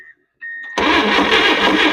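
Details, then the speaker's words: Late-1950s GMC pickup (1957 or 1959) pulled from a junkyard after more than 30 years, first start attempt: a brief crank, then the engine barks roughly and loudly but does not hold running; lack of fuel is suspected, and it is leaking oil. "I don't think we're getting any fuel."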